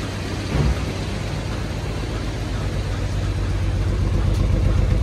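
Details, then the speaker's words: XJ engine running with a broken timing chain tensioner. Low, lumpy idle with an uneven throb that builds as revs rise; the cats are full and smoking. "so we had a little issue the little issue was a mixture of a couple of different things uh the timing chain tensioner broke"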